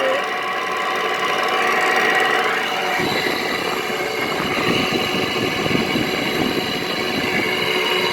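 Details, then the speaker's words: 2010–2013 Frigidaire window air conditioner, left outdoors at least 3 years, running: steady hum with a buzzy, uneven rattle that persists while running, attributed to the noisy Toshiba compressor. "Still really noisy. Maybe you can actually get a chance to hear the noisy Toshiba compressor. There's a rattle to"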